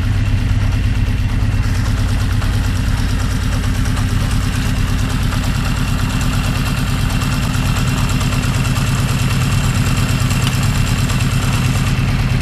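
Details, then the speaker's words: 1980 Honda CB650 four-cylinder, warm after 10–15 min idle, fresh oil, about 1050–1100 rpm: even idle with light quick ticking over exhaust; clicking source not located, owner suspects middle of engine near cam. "I'll have have to listen where the clicking noise comes from. And in my opinion, it goes from the other side of the engine."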